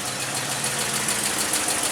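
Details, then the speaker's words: 2000 Jeep 4.0 at idle, no check engine light: rough, choppy exhaust with a stumbling misfire that sounds like one cylinder. Owner suspects plugs or injectors; a removed plug had its centre electrode burned down. "it's running a lot better than it was that first day listen to the [Applause] exhaust it's stink sounds like one cylinder but it could be"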